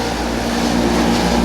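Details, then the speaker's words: Speed Queen 30lb stack dryer: loud steady drone with rough buzzing shake over the rush of air; blower motor vibrating far too much, needs repair; blower motor vibration. "is a blower motor vibrating. That is way too much noise. So that's an issue."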